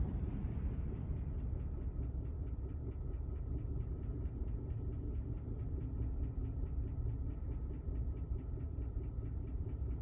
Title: 2021 gmc 6.2 engine knock at 5,500 don’t buy one!